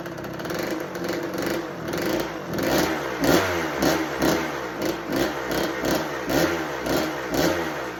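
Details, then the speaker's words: 1986 Kawasaki KX125 two-stroke, bought with no spark and no start, first fires on held choke after priming kicks. It crackles and surges roughly twice a second, rising and dropping, and won't idle. The owner later suspects a fouled, wrong spark plug. "She doesn't want to idle on us, but she's alive."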